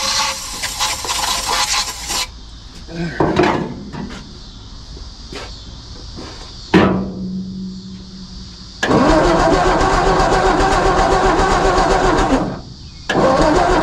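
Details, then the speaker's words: 1954 Ford F250 truck with new battery, on starting fluid after cleaning the ignition points: cranking with scattered pops, then the engine catches and settles into a steady run; firing restored after points cleaned. "I do believe I made a difference. Look at that. I think that thing fired."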